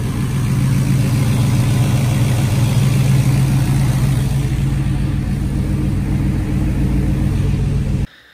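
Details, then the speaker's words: 1978 Pontiac Phoenix turbo petrol with loud Jegs muffler and resonator, back from a drive: even, steady idle with a smooth low drone, no misses or knocks, until shut off; normal idle. "everything's sounds good everything's doing what it's supposed to be doing which is sounds nice our sounds good"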